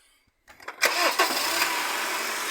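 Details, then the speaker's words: Honda CR-V, owner complaint of a bang on starting: with a jack propping the transmission, the engine cranks briefly and catches cleanly into steady idle with no bang or clunk. "agora não faz o barulho desliga e dá a partida de novo"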